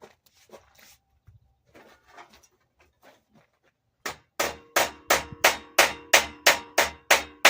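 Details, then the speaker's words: Fabricating the lower hood centre section: steady hammer blows about three a second sound hollow where the first crease still rises in the panel; a sharper ting means it is flat, a small spot remains. "You can hear the difference in the sound as I'm hitting it. When it's a hollow sound, that means you still have a rise in here where that first crease was."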